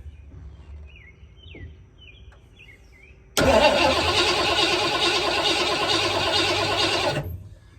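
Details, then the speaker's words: 1986 Ford Bronco 351 Windsor V8, sat about 15-16 years, cranked with fuel poured into the carburetor: steady cranking for about four seconds with no firing, then it stops. Owner suspects no spark at the coil wire. "don't think she has any spark I'm going to get a spark tester check that coil wire real quick"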